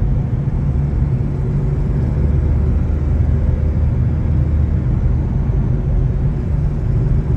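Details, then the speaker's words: Chevrolet S10 while driving: deep, steady droning roar holding even pitch over road noise; front wheel hub bearing suspected as nearly seized, exhaust manifold joint also blown; not yet confirmed. "Conseguiu ouvir rolamento do cubo dianteiro está praticamente travando o volante aqui tá rostinho e tem junto do coletor de escapamento também estourada"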